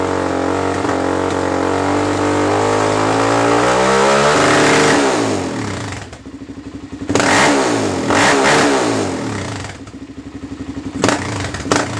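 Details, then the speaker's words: Kawasaki Z400 two-stroke after rejetting (170 main, needle on last ring, spark arrestor removed) revs cleanly and returns to a steady crisp idle without bogging; runs healthy, though it has a minor exhaust leak at the muffler slip joint. "Sounds good to me."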